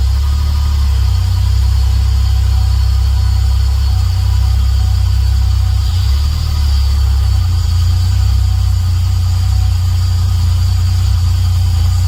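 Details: Toyota 1JZ-GTE turbo engine just rebuilt and reinstalled, first run: deep steady drone at idle with a slightly uneven, lumpy beat; running a bit rough, cause not pinned down.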